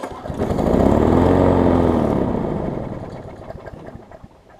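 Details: 2012 Bolens push mower with Briggs & Stratton 500 series engine, governor spring bent for slightly faster speed, possibly low on gas: fires up, runs briefly at an even clip, winds down, no knocks or misses; normal running.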